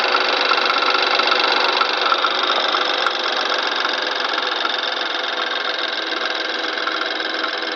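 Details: 2013 (63 plate) BMW N20 petrol engine, about 6K on the clock: a busy, metallic rattling hiss with loose, uneven chatter over the cold-start idle; owner wonders if it is turbo wastegate flaps, source unknown.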